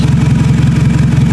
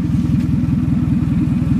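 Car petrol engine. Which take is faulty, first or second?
second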